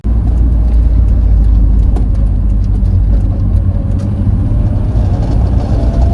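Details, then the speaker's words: 1992 Nissan 240SX S13 with SR20 swap, driving; loose rear hatch still latches but vibrates, light irregular tinny ticks and rattles over steady road and engine rumble. Loose rear hatch rattle. "so it still latches okay but like i said there's some rattling i'll put that clip now"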